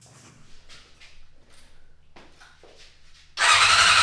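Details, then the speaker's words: 1990 Honda CBR600 stored outside for 10 years with a no-crank and no-spark problem: a few faint clicks, then the starter spins up into a fast, even whir, turning the engine over freely. Starter now works; spark not yet checked. "Oh! That works. The next thing I want to do is check for spark."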